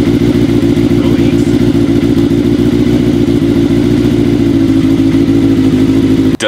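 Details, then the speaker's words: Kawasaki KZ750 four-cylinder café build, just after new intake manifold boots fixed a vacuum leak, running on all four after long running on three; steady idle with uneven lumpy pulse and occasional stumble, compression good, still needs tuning. "seem to be running too happy on four cylinders uh as happy as it was on three but mind you it's been running on three for a real long time so that cylinders got to wake up a little bit"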